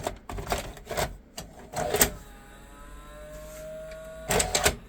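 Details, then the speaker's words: 1988 Sony SLV-353 VHS video recorder with broken parts, first tape inserted: clattering clicks, then a thin motor whine straining before more clicks; tape loading mechanism struggling, a part found bent in. Cause suspected, not confirmed. "No, that's unhappy. Let me go to put you on the stand."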